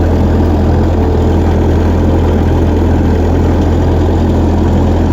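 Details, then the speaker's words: Old refurbished tractor, no power steering, idling during night shakedown after repairs: deep, steady, even idle with no knocks or misses, good oil pressure; normal idle. "Cold girl sounds good, too. idling clean, running happy. Good oil pressure."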